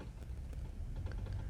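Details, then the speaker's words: 4WD Dodge Ram 1500 with 90,000 miles on a test drive, faint irregular clicks over heavy road rumble on a hard left turn, also heard on a hard right; front axle suspected; clicking on hard turns. "i'm on a hard left turn yes it's bad on a hard left turn let me try let me go right okay you can hear it on a hard right turn but i only hear it on this side now"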